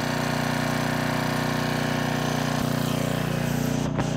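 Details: Generac 5000 W generator pulled from the trash, final test run after a new carburetor tuned toward 60 Hz: a loud, steady drone at constant speed with an even firing beat and no surging, knocking or misfires. It runs healthy.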